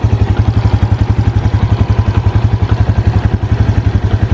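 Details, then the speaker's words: Used motorcycle inspection, listening at the left side of the engine for ticking: even, steady idle thump around three and a half beats a second, no ticking or clatter; engine still smooth and healthy. "ini mesin masih halus untuk bunyi seperti ini teman-teman resapi dulu bunyinya"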